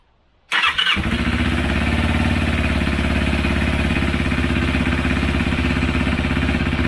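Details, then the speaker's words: Motorcycle after a second carburetor cleaning with a home-made cleaner, revs raised for rough carb synchronization: starts at a touch, steady even idle with regular beat, no misses; revs still drop slowly, owner suspects an air leak; normal idle. "pali na dotyk chodzi w miarę równo natomiast słychać że jeszcze nie schodzi dobrze z obrotów"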